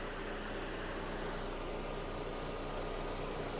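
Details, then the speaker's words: 2009 1.6 MPI petrol, 236,000 km, with the A/C compressor running: steady, smooth idle with no misfire, tapping or knock, no smoke and no breather blow-by; normal idle. "кондиціонер справний компресор вмикається якраз вмикунувся компресія есть мотор не димить не троїть не сапунить"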